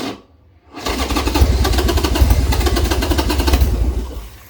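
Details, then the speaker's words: Old Harley Sportster just reassembled with new intake gaskets, ticking: the V-twin only runs on choke, catching and running roughly for a few seconds before fading and dying. "I gotta pull the choke it's the only way this thing will run right now which is weird"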